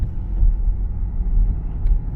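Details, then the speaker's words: BMW 1 Series after repair, driving: low steady road rumble with no squeak over bumps; the rear lower-arm bush, squeaking from water ingress washing out its lubricant, was fixed by applying Würth Ultra 2040 into the rubber seals. "oh listen to that it's perfectly quiet so the squeaking is gone the suspension where it was squeaking over every single pump is now silent"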